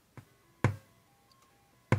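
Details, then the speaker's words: Commodore 64 board under repair with a known-bad SID chip fitted: during the diagnostic sound test, three loud pops break over barely audible stepped test tones instead of clean tones; the SID chip is faulty. "currently has one of the poppy bad Sid chips in there so when this runs the sound test we'll hear lots of popping as opposed to the tones we should be hearing"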